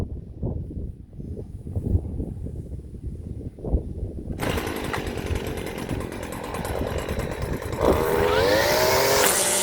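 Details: STIHL FS 56 RC trimmer with AutoCut C 26-2 head, just restrung and started: small two-stroke buzzes steadily, then rises to a smooth, even, higher rev while the line is tapped out; running healthy.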